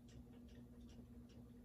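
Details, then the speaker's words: Ceiling fan on medium speed, reassembled after repair: steady hum with a light, regular tick about four times a second; still ticking but quieter than before, wobble reduced. "oh man it's still ticking but not as loudly it's making a small ticking noise now which is not as bad"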